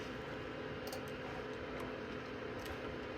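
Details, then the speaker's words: Old iMac after replacing failed internal HDD with SSD, during fresh OS install: cooling fan runs at full max with a constant airy whoosh and faint steady hum, because the drive temperature sensor normally plugged into the drive is missing. "Fan's going crazy because the temperature sensor that's normally plugged into the drive is like, I don't see a drive, so the fan's just going full max just in case."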